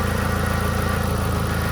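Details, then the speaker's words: VW Gol G4 with hydraulic power steering and a holed exhaust, at idle; steady low groan with a pulsing hum like a worn bearing that sometimes stops and sometimes grows, changing when the wheel is turned; power steering pump groan. "Tem hora que o barulho para, mas tem hora que ele aumenta a intensidade."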